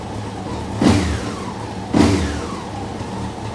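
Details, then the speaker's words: Honda CBR954 Fireblade after six-month rebuild: even idle with two clean throttle blips, no misfire or rattle; runs and shifts through all gears, though cuts out when tank dropped (suspected nipped hose) and thermostat weeps water. "I've had a little go up and down the drive go through all the gears Happy Days"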